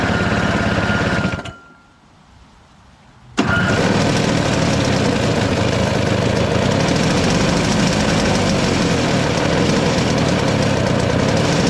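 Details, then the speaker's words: Single-stage two-stroke snow blower on fresh premix: chugs steadily, cuts out briefly, then picks up to a ragged, uneven idle; it runs only on choke, and with the choke partly off it speeds up, then bogs down. "okay so it runs on only choke and once you take it off a little bit it'll kind of run faster but then it'll kind of bump down"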